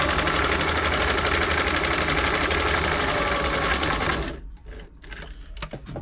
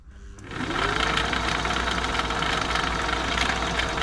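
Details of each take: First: Singer 507 sewing machine after feed dog gear replacement and a full service: fast, even stitching chatter, smooth with no knock or grind, and much quieter than before. Normal running. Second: Old Singer 507 sewing machine running with its covers off, lying on its back during a service; a fast, dry clattering hum from the bottom mechanism, which quietens as oil is worked in from the top; the noise comes from dry parts.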